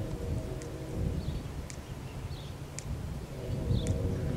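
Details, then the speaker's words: Electric fence ticks sharply about once a second over wind and rustling, shorting through a wire wrapped around it to hold it still. "a short in the electric fence. Gotta fix that. Just unplug that for a second. I know that this is the problem right here."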